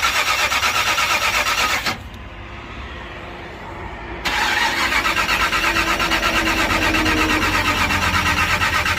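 Starter churns at a steady rhythm, near three beats a second, pauses briefly, then cranks on; the engine never catches or fires.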